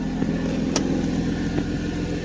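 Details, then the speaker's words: 1991 Mercedes 190E idling: deep rumble and rattle because the resonator is missing, only a straight can, plus sharp high-pitched ticking puffs from exhaust pipe leaks. "The rumble is due to missing resonator. Basically, we have no resonator. There's just a straight can, so it rattles. And then I just have this noises, like high-pitched ones. Those are the leaks from the pipes."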